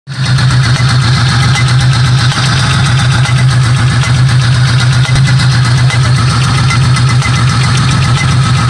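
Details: 1995 Buick Century 3.1 idling: uneven, stumbling beat with occasional sharp pops, a misfire with pinging or popping of unknown cause.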